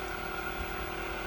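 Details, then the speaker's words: Newly installed variable-speed, self-priming pool pump motor on low speed: quiet, steady hum with even whir, no grinding, rattling or surging, no leaks; running smoothly. "All right, listen to that motor purr. Right now, it's on a low setting."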